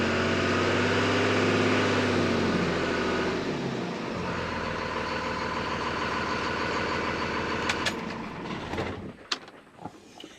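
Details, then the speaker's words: 2001 Dodge Ram 1-ton Cummins diesel idling after harmonic balancer replacement for a vibration around 1800 rpm: steady clatter, then shutdown, no obvious knock. The vibration is improved but a little remains; the cause is not confirmed. "you know it's helped it but I still feel a little"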